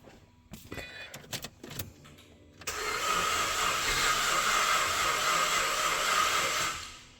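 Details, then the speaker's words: 2005 VZ Commodore V6 on a jump pack, with fuel pump replaced and new coils, cranks with a fast, even whirr for about four seconds without firing; sounds like no compression, possibly flooded; cranking without starting. "That did not sound good. Sounds like there's absolutely no compression on this engine, but it could be flooded with fuel trying to, you know, start, keep cranking it, keep cranking it."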